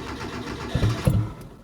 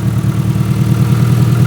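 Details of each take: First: 1993 Proton Saga Iswara, long stored in a barn, first start with no exhaust fitted: two harsh, deep coughs as it catches and fires, raw and tractor-like with no silencing, then ticks over without surging; missing exhaust, needs a service. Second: Proton Saga Iswara 1.5, about 151,000 miles, recovered from a barn and started after long storage with no exhaust fitted: loud, open, deep pulsing but an even beat with no surging or misfire; ticking over nicely.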